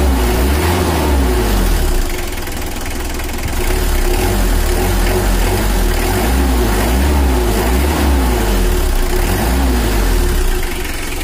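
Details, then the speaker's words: Brand-new Mitsubishi L300 diesel, few months old, factory-standard untouched settings, overheats when pushed on the toll road: idling with gentle blips, dull lazy note picking up slowly; sluggish, before injection tuning for more power. "coba untuk suara mesinnya seperti suara standar pabrik"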